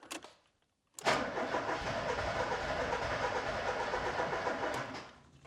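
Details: Ford Escort Cabrio XR3i fuel-injected engine, start attempt after cleaning injectors and reassembly, no fuel reaching engine: starter cranks about four seconds with an even churning rhythm but never catches; crank-no-start.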